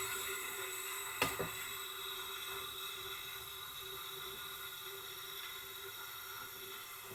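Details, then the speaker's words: Tecumseh generator engine, leak-down test at 80 psi with engine held from turning: thin, steady hiss of air under pressure with a few handling clicks; air leaking past the valve, valve issue confirmed. "So, it's definitely we got definitely have a valve issue of some kind."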